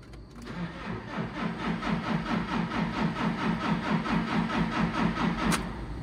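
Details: JCB diesel cranked right after a fuel filter change and priming: the starter spins steadily at about two compression pulses a second, but it never catches. Cranks with no start.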